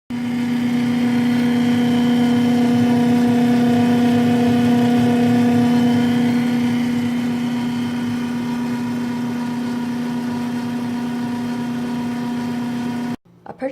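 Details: GE GTH18GCDDRWW refrigerator/freezer, bought 2013, making a loud steady hum with a strong pitched drone from the freezer area; owner suspects ice forming in the back cavity; power-cycling at the breaker and lowering the temperature control help.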